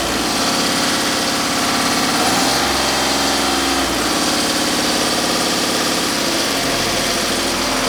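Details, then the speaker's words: Magirus Deutz 170D11 diesel truck at full pedal: revs top out low, then climb further when the injection pump lever is pushed by hand. Low maximum RPM because the throttle linkage loses travel, as the owner suspected. "I'm going to help the throttle lever that little extra bit of way to see if I get that extra RPM that I'm looking for because I'm pretty sure this is the issue"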